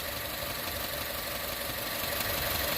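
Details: 2015 Chevrolet Cruze turbo idling after a turbo coolant return line repair and a drive around the block. The cooling system should be fully pressurized, no leaks, no coolant top-off needed. Smooth, even idle with no knocks, ticks or hissing; runs cleanly.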